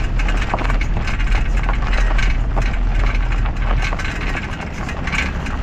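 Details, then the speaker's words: Worn steering arm/tie rod (vieleta) joint with play, irregular hollow knocks and rattles over heavy low road rumble; worn tie rod end clunk. "Y si observas la pieza el juego también se detecta la vieleta o el brazo de la dirección si están dañados usualmente suena así"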